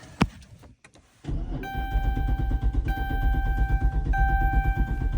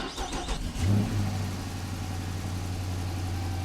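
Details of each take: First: 2014 Dodge Charger Pursuit Hemi AWD: a thunk, then the V8 catches and runs about 3 seconds with a dash chime before dying and won't restart; fuel pump apparently not heard. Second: 2014 Dodge Charger Pursuit Hemi AWD after replacing the blown fuse: fuel pump heard priming, a few cranking bursts, then the V8 catches, swells briefly and settles into a smooth, steady run.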